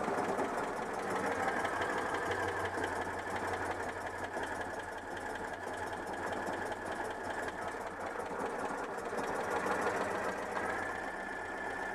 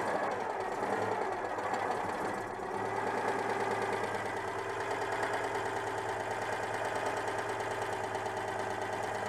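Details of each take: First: Citroën 2CV flat-twin with worn ignition breaker points: revs up well but idle surges and sags without stabilising; unstable idle from worn points. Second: Citroën 2CV flat-twin after tracing an ignition fault, contact breaker points somewhat worn: steady, slightly lumpy idle with no misses or pops, running properly; problem confirmed as ignition.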